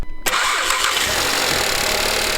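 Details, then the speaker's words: 2014 Volkswagen Jetta after bending back pushed-up starter connector pin: brief crank then instant catch into smooth steady idle; normal start, some "cling" noise noted. "There you go, it starts right up."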